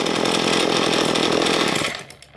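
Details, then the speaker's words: Two-stroke string trimmer, cleaned diaphragm carburetor after idle mixture given a quarter turn richer: steady high buzz with even firing, no hunting or stumbling; now sounds much better, normal running. "and now it sounds much better"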